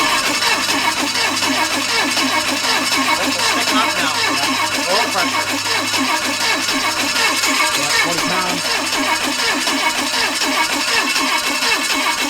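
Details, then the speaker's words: Chevy 283 small block V8 run with only one cylinder head, homemade CNC head gasket covering coolant ports, no cooling, mic by exhaust: choppy lopsided one-two-three-four exhaust beat, not V8 rhythm; running on half its cylinders. "can you hear the exhaust go right down by the exhaust with the mic you can hear one two three four one two three four I've never heard that before it's weird"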